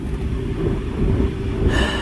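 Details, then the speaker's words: Chevy Blazer 4.3 V6 after replacing a wet distributor rotor, which fixed its crank-no-start. Even, low, steady idle with no misses, stumbles or knocks; it runs well, with codes still to be cleared by driving. "But now we know it's all done. I'm gonna have to drive it to clear the codes or reset the codes. But you know, it's running good."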